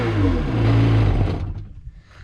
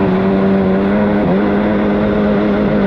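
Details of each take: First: 2003 Sea-Doo XP DI 951 two-stroke after replacing voltage regulator, briefly run out of water: deep, raspy, even burst before shutting off; sounds good. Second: 2003 Sea-Doo XP DI 951 two-stroke on the water after new fuel pump and filters: high steady drone that stumbles and dips briefly under way; runs more consistently but still misses at high rpm and won't run out properly.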